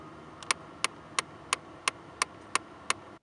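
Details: 2008 Ford Taurus SEL, driver's side blend door actuator under the dash, heard at key-on with A/C not working properly: sharp, even ticking about three times a second; broken actuator gears, replaced with Dorman 604-253.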